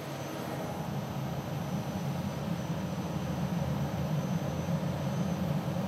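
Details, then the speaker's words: DEC PDP-11/70 under restoration, second disk drive starting: deep steady whooshing rumble as the disk pack spins up and settles, no scraping or knocking; clean spin-up. "okay so now what i'm going to do is start this drive up the second disk drive"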